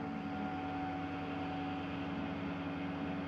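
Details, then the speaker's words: 1970 Dodge Super Bee with a Holley Gen 3 Hemi Hi-Ram EFI swap, key turned to Accessory before its first start in 25 years: a steady, even electric hum at constant pitch as the fuel pump primes normally. "I don't know if you guys just heard, that was a fuel pump priming."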